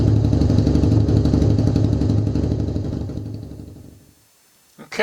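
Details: Kawasaki KZ750B after a refurbished starter clutch and starter motor: fires cleanly at about four even beats a second, holds steady, then shuts off. Normal starting and running.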